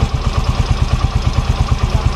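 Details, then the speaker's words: Yamaha Mio Fino 125 scooter: quick, even clatter of about twelve ticks a second over idle, louder as rpm rises and worse when hot after a long ride; valve clearance too loose, valves need adjusting. "Tapi saat naik RPM dia terdengar lebih nyaring suara berisiknya gitu"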